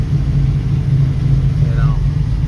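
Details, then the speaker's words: 1966 Mustang, Holley 650 double pumper carb, still cold, after the transfer slot adjustment: a steady, fairly even low idle with no stumble or hunting and no foot on the gas; it now idles, with fine tuning left for when it is warm. "looks like I got more adjusting to do but at least the car idles now so got to get it up the temperature and you know it's pretty cold still so once it gets up to temperature that's when you want to do all your fine tuning"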